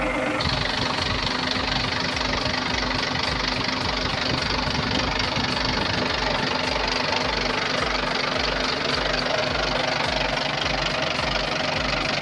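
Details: Volvo TWD121 stationary 6-cylinder turbodiesel after fixing a loud knock by replacing one intake valve and a gasket set: steady diesel clatter with an even, regular beat and no heavy knock; normal running after repair.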